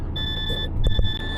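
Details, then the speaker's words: DAF CF Euro-6 AS-Tronic truck after gearbox modulator swap, diesel idling with air pressure low: steady high-pitched buzzer with brief dropouts warning low air pressure and gearbox not in neutral, expected to stop as it drops into neutral. "So if I've done my job right now, we should hear this drop into range. The N should appear on there as it drops into neutral, and this should shut up in a second."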